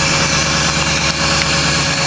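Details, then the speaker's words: Ford 6.0 Powerstroke diesel cold start without block heater, after glow plug cycle: steady, even diesel clatter held at raised high idle mode, no misses or knocks; normal cold high idle. "So, there's our high idle mode."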